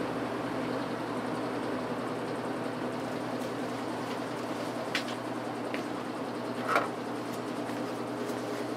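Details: 1950s General Electric automatic reversible push-button box fan with thermostat, before cleaning; quiet, steady low hum and soft airflow rush with no rattles or scraping, running normally, fan reversed and run on high.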